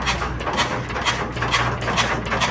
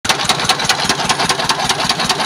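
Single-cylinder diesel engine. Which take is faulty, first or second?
second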